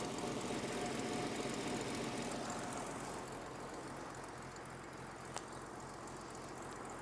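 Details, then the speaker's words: Revived 1950 Dodge Power Wagon idling, with the oil leak and loose distributor still to fix: a quiet, even idle pulsing near 220 per minute with no knocks or misses. The engine is running smoothly. "listen to that P so the dod's weapons carry a power wagon Power Wagon does it run yes lovely bit of surgery"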